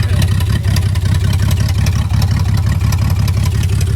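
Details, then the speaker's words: $200 salvage BMW 325xi E46, all-wheel drive: a loud, raspy idle with an uneven lope and irregular stumbles about twice a second, running rough with a raw fuel smell; the cause is not determined. "Hey, man, it runs, though. It runs. It does. It may not be running very well, but it runs."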